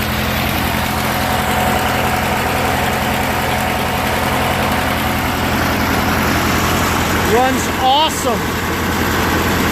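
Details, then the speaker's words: Murray 16HP 46" riding mower, Briggs & Stratton opposed-twin, after carburetor and fuel pump rebuild, new gaskets and jets, cleaned tank and fuel lines, following two years sitting unused outside: steady, even low putter at idle with no misses or surging, idling well. "put this all back and go for a ride running great even idols well"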